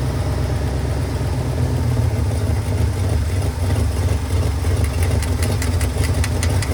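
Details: 1978 Ford F-150 plow truck V8, sat a year, rebuilt carb, fuel hose leak just spliced: heavy lumpy idle with uneven beat and rattly ticking; owner notes sticky throttle and suspects vacuum leaks; rough idle.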